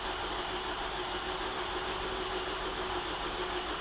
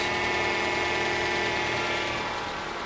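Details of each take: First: 2011 Toyota RAV4 2.5L 2AR-FE, freshly rebuilt after severe oil consumption at about 150,000 miles: about twelve seconds of steady cranking with no firing, crank sensor unplugged to prime oil pressure before first start. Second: 2011 Toyota RAV4 2AR-FE 2.5L four-cylinder with about 150,000 miles, first start after engine teardown for oil consumption. Smooth idle with fast, light ticking from hydraulic lifters not yet pumped up with oil, normal after sitting dry.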